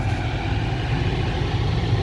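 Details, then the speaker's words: 2009 BMW 750i cabin blower, previously stuck on lowest speed, working after battery disconnect and reconnect: constant, even rush of air at full speed over a low idle hum with no ticking or scraping; normal operation. "now it works perfectly fine as you can see you can hear the sound it's working on the full"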